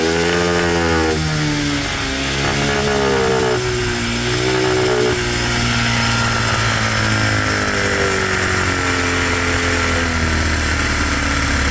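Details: Cheap monkey bike (small single) that still smokes after a new head gasket, with new piston rings and cylinder still to order; carb mixture screw just reset. Pitch rises and falls smoothly with the throttle without stumbling, very loud; mixture nearly dialed in, needing slight fine tweaking.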